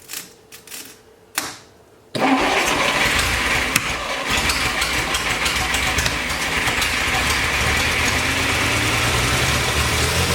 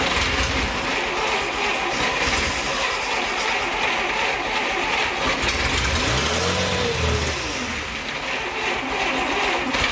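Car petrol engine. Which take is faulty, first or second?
second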